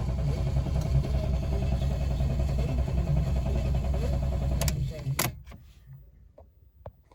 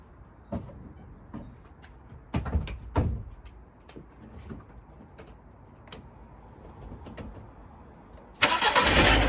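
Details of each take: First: £200 Fiat 500 that fired then died straight away, possibly after running out of fuel: steady even cranking at about 2.5 beats per second that never catches. Owner unsure whether it is flooded. Crank-no-start. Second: £200 Fiat 500 after replacing a failed fuel pump, which now audibly primes: a few clicks and clunks, then it cranks and catches promptly around eight seconds and settles into a steady run. Normal start after the repair.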